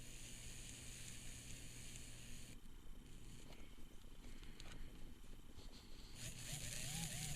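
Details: Tyco Spirit of America Ten-Wheeler model steam locomotive after lubricating the front and rear motor bearings to cure squealing: small motor spins with steady low hum and light gear whirr, no bearing squeal, running smooth.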